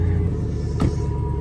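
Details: 2006 Chevy Tahoe 5.3 LS V8 after stalling fix, started after sitting overnight: steady low, even rumble with no misses, knocks or stumbles; runs smoothly at idle.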